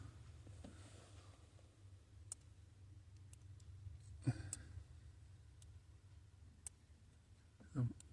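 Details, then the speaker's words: 2017 Infiniti Q60 with an intermittent no-start: on inserting the relay during diagnosis it chatters with sharp, irregular clicks, about seven in eight seconds, over a quiet low hum, while voltage doesn't drop. "Ran for a second, and I'm going to insert the relay. And it's actually clicking right"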